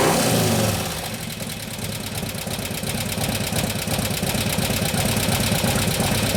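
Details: 2015 Harley-Davidson Road Glide FLH, 103ci Twin Cam, after camshaft install and new oil pump: quick light ticking about three per second over even idle after start; lifters still not pumped up, taking unusually long.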